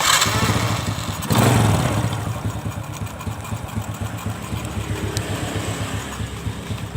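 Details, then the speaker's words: Engine catches with a burst, then settles into a light, even, clean idle with steady firing pulses, lighter than the heavier running before, after a rich-running carburetor was reset to standard and its piston slide reinstalled correctly. "ini dia sabar enak sekali suaranya Jadi ringan kalau kemarin Gitu agak-agak berat ya"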